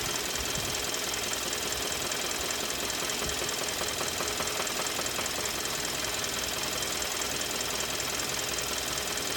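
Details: 2013 Kia Optima petrol engine with a loud, steady knock, about two or three beats a second; code P0014; engine later failed and was replaced under warranty; engine knocking.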